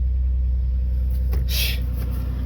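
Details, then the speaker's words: 1989 Chevrolet Celebrity base model, 205,000 miles, after battery reset and correcting tampered setup: deep steady low rumble, no hunting or surging, brief hiss overhead; normal idle. "Hook the battery back up. Let's uh see if it idles now. It should."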